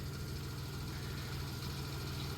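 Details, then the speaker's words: 1991 Dodge Grand Caravan 3.3 V6, abandoned 21+ years: a quiet, low, evenly pulsing idle with the earlier grinding now self-clearanced away. The engine runs clean; the temp gauge is not working and fuel is low. "This thing makes no noise. That engine runs so good."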